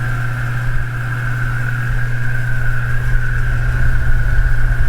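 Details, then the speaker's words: Duracraft DV-518 18-inch 4-speed high-velocity fan, likely from the 90s, on low speed: steady hum with raspy grinding, scraping whine from worn motor ball bearings, blade badly out of balance. "It's really hard to judge the noise level of what it should be without all that noise from the bearings, but I tend to think that the fan would be pretty quiet in terms of air noise if it wasn't for all that grinding and scraping sounds."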